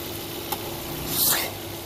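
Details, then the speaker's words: 2006 Volvo S40 at idle, running lean with engine light on and long-term fuel trim 15.6% rising to 25–28%: a steady airy hiss swelling briefly as air is sucked in through a faulty PCV crankcase ventilation system, a vacuum leak. "hear all that air sucking in do it again hope we can hear that on video i mean to get closer it's not supposed to make that noise and what it is is this pcv system down here a crankcase ventilation system"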